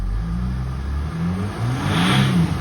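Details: 2007 Jeep Grand Cherokee CRD, Mercedes OM642 diesel, after a fix to clear limp mode with suspected carboned swirl flaps. Revs smoothly toward about 3000 rpm and settles back, pulling cleanly without hesitation; normal rev.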